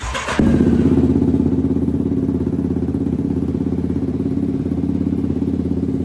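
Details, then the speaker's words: Yamaha Raptor 734cc big-bore build, first start with exhaust near the plastics: engine catches and settles into a loud, even, fast-thumping idle with no knocks or misses; normal idle. "there she is loud"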